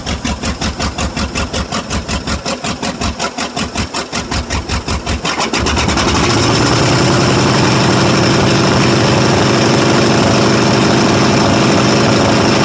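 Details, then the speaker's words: Cold start of a 1995 Ford F-150 5.8 liter 351 V8; loud lumpy uneven idle, loading up on gas, several cylinders not firing, blows steam and smokes; owner suspects head gasket or cracked head. "oh she does run quite poorly [Music] but loading up on gas bad and not firing on any well probably six of cylinders maybe if you're lucky"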